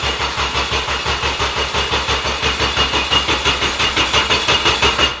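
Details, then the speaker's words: Abandoned Honda rebuilt and freshly filled with oil: starter cranks evenly about three turns a second but never fires; ECU loses power and sees no rpm while cranking. "Everything is there for this thing to run, but she won't fire."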